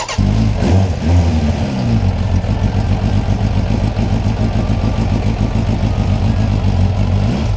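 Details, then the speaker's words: 2003 Suzuki GSF1200S Bandit inline-four, about 105,000 km (65,000 miles), previously non-running, cold start; catches, then runs uneven and lumpy at low revs, never settling to a clean idle; carbs suspected, need cleaning (floats, pilot screws). "off obviously something's just not quite right with the carbs and he's setting up they need a decent clean I'd first be going for the floats pilot screws just clearing everything out really really thoroughly"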